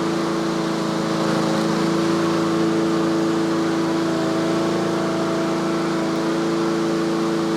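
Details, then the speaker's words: Yard Machines/Yard-Man (MTD) 21-inch self-propelled push mower in for tune-up, warming up after choke off, tach shows about 3300 rpm, its usual set speed: clean steady hum at fixed high speed without surging or hunting; normal running. "so that's the inductive attack it's running about 3300 that's where i normally set them so so so"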